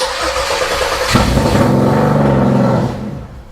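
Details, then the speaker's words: 1996 Chevrolet Camaro 3.8L V6 bought sight unseen, possibly on old bad gas, attempting start with foot on the pedal: engine catches, runs about two seconds with an uneven, off-sounding note, then dies. "oh boy she got a little tone to her let's try again"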